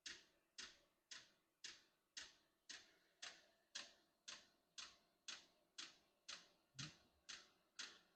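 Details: Unboxed diesel heater, first start out of the box, warming up with fan on: crisp, evenly spaced dosing pump ticks about twice a second over a quiet background; normal.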